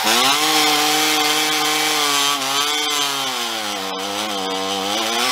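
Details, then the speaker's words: Stihl MS460 Magnum chainsaw with poorly ported cylinder and pipe, on a dyno during a long slow loaded run: high whine sags and wavers as load comes on, never clearing; engine bogging, apparently out of gas. "i hate to say this you're out of gas yeah that's what it sounds like"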